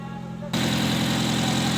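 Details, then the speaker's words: Nissan Wingroad after a no-start with no injector pulse or ignition coil signal, fixed by replacing the cam and crank sensor wiring: even, steady idle at normal rpm with no missing. "अच्छा तो दोस्तों, गाड़ी अब बिल्कुल ओके है, कोई मिसिंग नहीं है, कोई कुछ नहीं है, बिल्कुल नॉर्मल आरपीएम पर खड़ी हुई है।"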